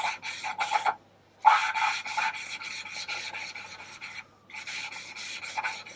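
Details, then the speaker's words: Lapping valves on a VW T4 2.5 TDI ACV cylinder head with grinding paste: rhythmic gritty rasping strokes with short pauses, the scratchy hiss smoothing out as the valve seats. "Again, we're listening for the sound, the change in the sound, so you can hear that it seats."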